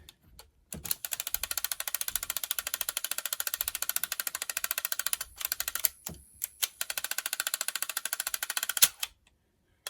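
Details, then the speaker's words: Sanyo M7770K boombox cassette deck, not yet repaired and never having played a tape, tested on fast forward with a cassette in; rapid, even clicking with short stops comes from one reel, so the transport clatters instead of winding. "that's not a noise it should be making why is it making that noise it's look literally coming from this reel for some reason that is strange"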